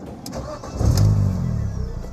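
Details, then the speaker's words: 200,000-mile MINI Cooper that had died while driving; brief crank then instant catch into smooth steady idle; normal start, cause of the stall was a loose battery terminal. "Battery terminal. It was a battery terminal. Yeah, I know. I thought the car was done."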